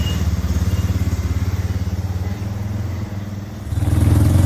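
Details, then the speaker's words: 2001 Yamaha BearTracker 250 single-cylinder ATV that sat for years, after a temporary duct-tape fix of the leaking intake boot (vacuum leak). An even thump of about 3.5 beats per second rises smoothly with throttle, no stumbling; running much better. "It's definitely running much better."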